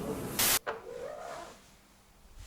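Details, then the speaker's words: Lada Vesta door opening: a thump, then a low drawn-out creak sliding in pitch for about a second, like a shed door; a dry hinge or check strap is suspected, not confirmed, and lubrication is planned. "открываем дверь и слышим такой звук как будто в сарае до открывается дверь не какая-то в уазике"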